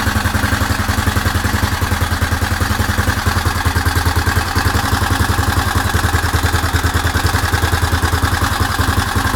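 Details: Suzuki DR750 at idle: single-cylinder steady loping beat, about three and a half pulses a second, with a faint clattery edge; engine noise, cause not confirmed.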